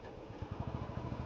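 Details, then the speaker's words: Royal Enfield Standard 350 on a mileage test, running out of petrol at 68,169 on the odometer; the single-cylinder beat stumbles with dropped firing pulses, a fuel-starvation misfire, just before it stalls. "അതാ missing വന്നിട്ടുണ്ട്, missing വന്നിട്ടുണ്ട് കേട്ടോ. വണ്ടി ഇപ്പോൾ നിൽക്കും."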